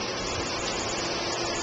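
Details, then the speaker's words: New Centurion E+ two-speed pool pump, solar controller switched to auto, pump comes on hard on high speed, current and pressure back up: steady strong whoosh with water rush, no knocks or squeal; normal. "you can hear the pump has come on hard and our current draw is up again"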